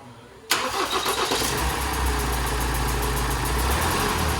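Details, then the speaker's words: 2017 Ford Transit Custom 2.0 EcoBlue diesel, just rebuilt, started with old one-time-use injectors refitted: rhythmic puffing chuff and ticking over idle clatter, not at the airbox, from the injectors; injector seal compression leak. "chuffing it's not at the air box injectors i deliberately didn't put the new ones on because they're one-time use"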